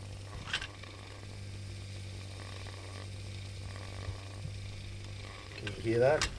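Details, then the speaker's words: Antec 120 mm all-in-one liquid cooler with rpm sensor: steady low hum under a gritty sizzling rattle; pump has reached the end of its life. "yeah hear that that is the sound of a pump that has reached the end of its life"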